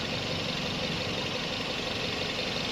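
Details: 2003–06 first-generation Toyota Vios with a suspected vacuum problem, idle shaking persisting after plugs and injectors were changed and sometimes not starting: a dense, constant, rough and unsettled idle with no distinct knock. Rough idle.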